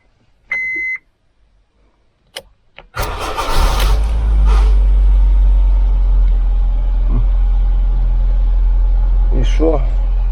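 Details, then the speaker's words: Roughly 2008 Honda Civic with fuses blowing from a suspected short (wipers switched on): a couple of chimes and clicks, short crank, then it catches straight away and settles into a steady, even idle. Fault unexplained; only the alarm connector was unplugged and refitted. "Ну ось якби саме худше що могло бути купу грошей потратили на ремонт автівки вона взяла і завелася і невідомо коли Наступного разу вона знову зламається"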